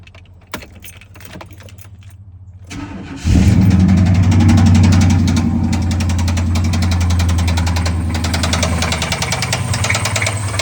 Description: Hoping this video can help others identify the sound of a spun rod bearing. It’s a Chevy 350 - 5.7 L engine.